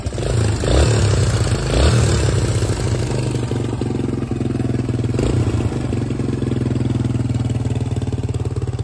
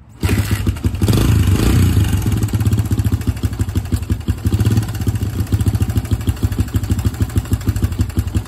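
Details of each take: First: 2005 Suzuki DR-Z 125 air-cooled four-stroke single idling after cam chain tensioner adjustment, two short blips: faint light clatter over steady thump, much quieter than before. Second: 2005 Suzuki DR-Z125, 125cc air-cooled four-stroke, spring-loaded adjustable cam chain tensioner: loud, rapid metallic top-end clatter over the idle after start; owner suspects slack timing chain, bike otherwise rides and shifts fine, no smoke.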